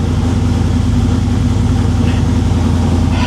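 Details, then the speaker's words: 1987 Chevy Monte Carlo SS V8, cold, choke being opened after new transmission install: fast, even cold choke idle, no misses, knocks or ticks; normal cold high idle, engine staying running. "stay running open that choke it sounds great can we do it"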